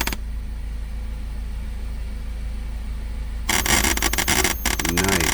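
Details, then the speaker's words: 2014 Ford Focus, cabin: with the radio off, a quiet hum then a loud crackling static burst through the speakers, occurring occasionally; caused by a defective radio head unit (audio control module): radio static from faulty audio control module. "one of them is this inherent static that comes over the radio occasionally don't know if it's going to do it the radio isn't even on there it is"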